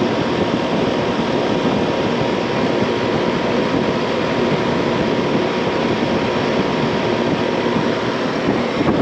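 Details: 15-year-old never-serviced AC condenser; constant loud rushing roar with faint steady whine; loud condenser fan noise, fan motor amps seen as too low against a 1.1 rating; worn bearings suspected, fan motor to be replaced after checking capacitor.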